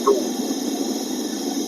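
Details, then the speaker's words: Mercedes-Benz W205 C350e, A/C not cold after a recent compressor replacement, set coldest with fan speed 3, mic held close to the dash: steady hiss with rushing, bubbling refrigerant flow; low charge from a suspected evaporator leak, leak size unknown. "เสียงนี้แหะครับเสียงน้ำยาแอร์เดินไม่เต็มระบบนะครับส่วนเสียงรั่วน่ะไม่มั่นใจว่ารูเล็กหรือรูใหญ่นะแต่มีเสียงน้ำยาแอร์แน่นอนด้านในนะครับ"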